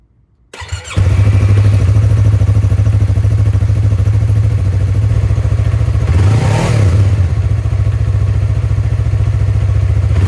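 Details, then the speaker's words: Yamaha R3 stock factory restrictive exhaust before Akrapovic slip-on install: starts and settles into a steady, soft lawnmower-like putter with one clean blip; quiet, healthy normal stock exhaust note. "Now, the exhaust on this bike is genuinely the worst thing about this bike. It honestly sounds like a lawnmower, as you can tell"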